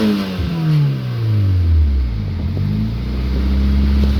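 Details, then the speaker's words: Engine revving with muffler removed, catalytic converter still fitted: faint sharp ticks ride on the rev, an internal engine knock; owner says engine is not long for this world. "honestly it's not too much louder i think you can hear the knock [Music] yeah she's not long for this world"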